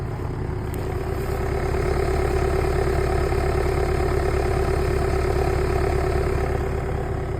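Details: 2014 BMW F20 116d with N47 four-cylinder diesel, cold start at -10°C: even, steady diesel clatter at cold idle with no misses or knocks, sounding very regular; a smooth, healthy four-cylinder.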